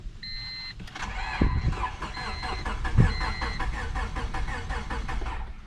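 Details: Honda EK coupe after reassembly with valve cover refitted, plug wires reconnected and timing double-checked, battery possibly not yet charged: door chimes, then rhythmic even starter cranking that never catches; cranks but won't start, cause unconfirmed.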